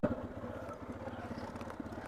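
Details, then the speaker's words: Hero Karizma R single-cylinder on a cold morning start: idle thumps unevenly with occasional soft skips, a misfire that happens every morning only during warm-up and disappears afterward. "ഇതാണ് കരീസ്മയുടെ വിഷയം. ഈ ഒരു missing കണ്ടോ? Missing എടുക്കുന്ന ടൈമിൽ മാത്രമേ ഉള്ളൂ കേട്ടോ ആ ഒരു മിസ്സിങ്."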